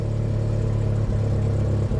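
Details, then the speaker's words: 1980s Toyota Supra at Copart auction: low idle hum that sags and stumbles a couple of times within seconds; running rough, doesn't run very well. "unfortunately it smells absolutely awful and uh it certainly doesn't run very well"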